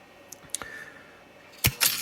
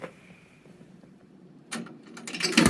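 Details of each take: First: A dime and a nickel drop with sharp clicks and a quick lever clatter; the lever moves three times at a 15-cent vend price with no change given, in a 1957 Cavalier CS-96 Coca-Cola machine's NRI Simplex 2 coin mechanism. Normal cycle. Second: Cavalier CS-96a Coca-Cola machine, NRI Simplex 2 coin mechanism being repaired: a quarter rattles through with a few seconds of loose metallic clatter and no vend clunk; the solenoid did not unlock, and wiring issues are suspected.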